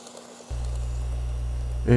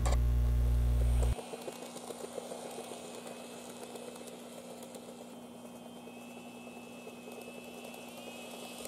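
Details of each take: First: N-gauge model train power car after replacing all the geared bogie parts (motor swap and worm gear cleaning alone didn't cure it): steady, even low hum, knocking and popping gone. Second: N-gauge model train power car: motor hum with a soft regular knock about four a second persisting after motor replacement and worm gear cleaning; replacing all geared parts in the bogie eliminated the noise.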